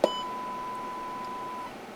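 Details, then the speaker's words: Kenwood TH-48 handheld radio on the bench during no-audio repair, 5 V supplied at the electrolytic capacitor: a clean steady beep sounds from the speaker for over a second; audio output now working. "you can hear it, I believe. We have audio."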